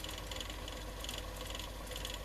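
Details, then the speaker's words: Murphy TR1 tape recorder with Garrard tape cartridge deck, rewinding tape off: brisk steady whirring clatter with fine ratcheting tick; very fast wind suggests the mechanism is in good condition. "Which suggests that most of this is in good condition. I mean, that's quite a fast wind."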